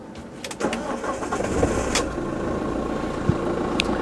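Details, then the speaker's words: Battery load test with tester, accessories off, resting 12.37 V: steady starter cranking a couple of seconds, then engine catches and settles; cranking voltage dropped to 9.64 V, a pass, starting system healthy. "So the cranking voltage, it dropped to 9.64 volts, which is normal."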